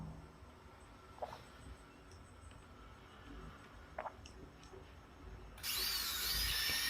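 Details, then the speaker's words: KPT 561 impact drill after repair with armature and carbon brush change, test-run on a series board: quiet bench, then a steady high-pitched whir with no grinding or rattle; the motor runs normally. "इस series board में इसको चलाया तो चल रहा है, machine"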